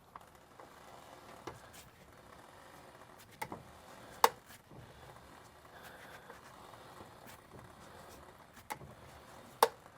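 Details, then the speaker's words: Lifted truck wheel turned by hand with a dry, grease-starved CV joint: a few sharp irregular clicks as the torn CV boot catches at the tear and snaps back; the binding on sharp turns remains unexplained. "I think that is our clicking noise I'm hearing is the boot getting caught right where it's torn. Go figure. And snapping back over the top. So, I think that's the noise."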